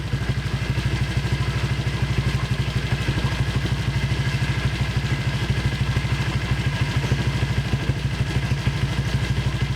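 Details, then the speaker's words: Honda Vario at idle with a newly fitted cheap CMS copy exhaust: sharp puffing tick in step with each firing; the header (leheran) joint is leaking, to be patched with a pot-mending patch. "Oke cuy, itu dia masih bocor sih di bagian leheran, mungkin bakal gue benerin dulu nih cuy. Si bagian sambungan leheran itu agak bocor cuy, jadi suaranya agak bocor gitu cuy."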